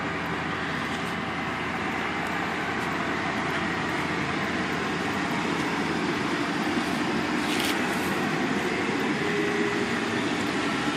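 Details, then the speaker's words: 2004 Mercury Grand Marquis LS 4.6L V8, automatic, just under 120,000 miles, cold start at 18 degrees on the key: even, smooth fast idle with a steady low hum, no knocks or ticks, quieting quickly as it warms; healthy. "and as you can hear the engine quiets right down doesn't take it long at all toh get warmed up and you'll be ready to go"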